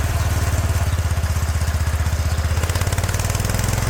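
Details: 36-year-old Toro Wheel Horse 416-8 garden tractor after fixing a leaking fuel line: steady, even low thump at a fast idle with no misses or knocks; sounds pretty good, normal running.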